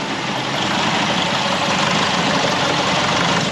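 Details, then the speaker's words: 2005 Nissan X-Trail diesel with turbo whining complaint, idling before work: uneven, lumpy beat under steady clatter — rough idle. "now if I can show you this engine it is running a little bit lumpy before we even start"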